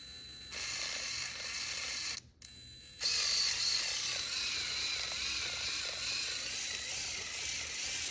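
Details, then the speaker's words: FMS Chaser 1/24 RC short course truck out of the box: high motor whine with rough ratcheting crunch surging with throttle; rear axle hops, rear driveshaft binding and gears skipping, stripped driveshaft pin/screw, owner suspects something already torn up. "See that hop in the rear axle? Crazy, all right? So we probably already tore something up."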